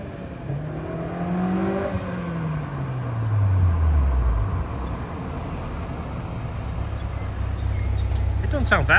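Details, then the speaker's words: White Honda S2000 with new customer-supplied HKS exhaust, adjusted to fit, heard from outside on drive-by: rising then falling note, smooth, no boomy drone; healthy exhaust. "out here I like it doesn't sound like it drones"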